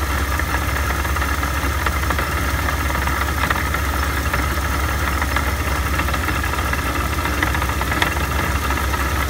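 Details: Steady idle after a supercharger rebuild with a constant whirring hum and light rattling chatter over it; abnormal noise suspected from the rebuilt supercharger, not confirmed.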